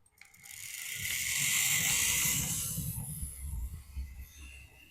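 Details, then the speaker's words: Old mainline N2 OO gauge locomotive running over newly powered points: small motor buzzing with gritty high whirr and light rhythmic clatter, noisier than it should be. "The old mainline N2 there making a bit of noise."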